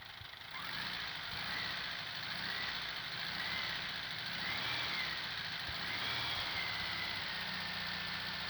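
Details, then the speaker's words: VW Beetle air-cooled engine at idle with a brand-new Cinap alternator: loud steady hiss and a high, slightly wavering whirring whine from the alternator; owner suspects a bearing, to be returned under warranty. "ao treinador novo dando barulho aí no fusquinha é um ano barulho cabuloso aí parece ser rolamento"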